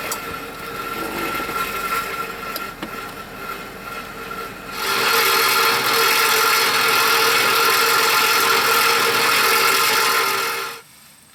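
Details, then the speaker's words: 1994-04 Jeep Grand Cherokee V8 engine running: harsh metallic buzzing rattle, steady; catalytic converter's surrounding support rusted away, honeycomb lying loose in the shell; fix is converter replacement. "the suspension that SAS surrounds the honeycomb has basically just rusted away and now the catalytic converter part of this container is now just laying basically on the bottom here and so when the engine is running and shaking it just makes that noise"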